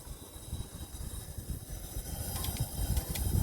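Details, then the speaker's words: LPG taxi engine that suddenly stalled while driving, no fault codes, rail pressure dropping at shutoff, injector leak suspected: short hissing puffs at the throttle body in step with injector pulses; normal gas injector operation. "There is a gas injection sound in the Trottle body at the same time as the injector operation"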